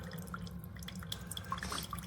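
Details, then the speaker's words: Chefman single-serve K-Cup coffee maker brewing, quieter than a Mr. Coffee: soft, irregular drips plinking into the cup over a low steady hum. Normal brewing. "It's quiet. It's actually quieter than this one. It's quieter than the Mr. Coffee."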